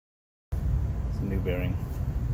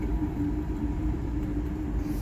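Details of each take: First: Carrier rooftop unit 20 hp motor after bearing replacement runs with a smooth, steady low hum and quiet bearings, no grinding, ticking or squeal; back bearing had failed. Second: 20 horsepower Carrier rooftop unit blower motor running: steady low hum with a rough, uneven rumble from a failing rear bearing, later replaced leaving it whisper quiet.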